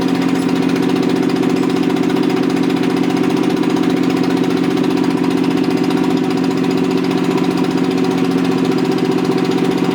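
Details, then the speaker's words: Rebuilt Toyota 7M-GE on a furniture dolly, valve seats dremeled: steady idle with a regular lumpy beat about 2.5 a second; pulling number three made no change though it sparks, suspected bad plug or no compression; dead cylinder, leaking exhaust valves. "i don't know if you'll notice when i pull number three it didn't change so some number three something's wrong with number three cylinder"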